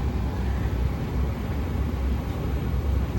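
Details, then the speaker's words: Old American Standard gas furnace on an emergency no-heat call, customer had smelled gas; burner turned on before a combustion test: steady low, even roar with no surging, popping or flutter; flame lit and burner running smoothly. "So I just turn it on. Flame is on."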